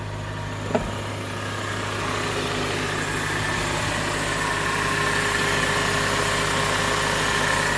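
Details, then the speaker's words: 2005 Honda Accord 4-cylinder just after a starter replacement: it fires right up on one quick crank and settles into a smooth, even idle with no knocks or rattles; a maintenance light is on but it runs healthy. "listen to let it out here fires right up sounds good to me"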